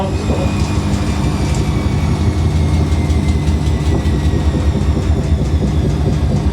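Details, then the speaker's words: Washing machine at 1100 RPM fast spin is out of level: deep, heavy rumbling with a steady thumping shudder as the machine vibrates violently and walks. "That was 1100 RPM. Oh, she's unleveled herself, that's what's happened. Whoa! Really intense."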